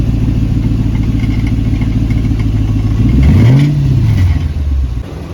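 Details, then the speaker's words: 100 Series Toyota Land Cruiser after replacing a rusted, holed muffler that caused rattling: deep smooth rumble rising cleanly on a blip with no gargle or rattle; new muffler quiet, fuel economy back to 13-15 mpg. "but there you go it is installed and so quiet"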